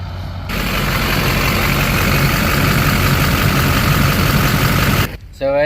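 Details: 2005 LLY Duramax diesel idling after rebuilding the leaking factory fuel filter housing and bleeding air from the fuel lines; steady even idle with smooth low rumble, no misses or stumbles, no leak: running healthy.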